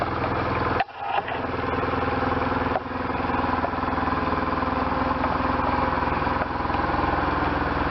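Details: 1998 BMW R1100RT boxer twin, first start after full restoration, throttle bodies not yet tuned and wiring unfinished; cranks, catches after a stumble, then settles to an even, steady idle with no knocks or rattles.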